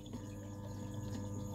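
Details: SunSun HW-603B external canister filter (400 L/H, 6 W), running in a water test: quiet, even low hum with a faint water trickle and no rattle or buzz. The pump is running normally.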